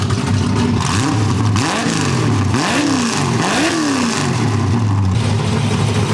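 Loud, lumpy V8 rising and falling smoothly through several quick blips with no misfire or backfire; sounds healthy.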